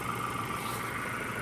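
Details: Ford Ranger 2.0 brought in for low power and a check engine light, after a new injector on cylinder 2 and a new fuel filter: a quiet, even idle with no misses.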